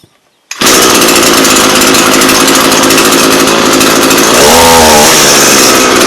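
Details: Echo PE-225 two-stroke edger after richening the non-adjustable carb: loud steady high-rev scream with brief warbling breakup near the end; slight four-stroking of a properly rich-set carb.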